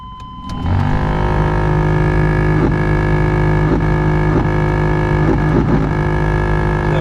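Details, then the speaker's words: 1991 Chevy C1500 OBS truck, key on, engine off, AC blower on high: loud droning hum with scraping catches a few times a second; worn blower motor to be replaced. "we got a bad fan motor right here, and we're gonna be changing that today."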